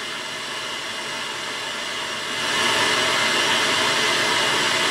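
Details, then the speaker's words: HMV Stereomaster 2328 stereo amplifier, early 1970s, on its own speakers: a steady, loud, unrhythmic hissing hash from the right-hand channel that shouldn't be there; source to be traced with a signal tracer. "That is coming out of the right hand channel. All that hash. Now that hash shouldn't be there."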